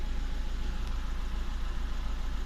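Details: VW Touran 1.9 TDI diesel at idle with cylinder 3 misfire and injector code: uneven stumbling beat as one cylinder drops out regularly, pointing to a failing number three injector.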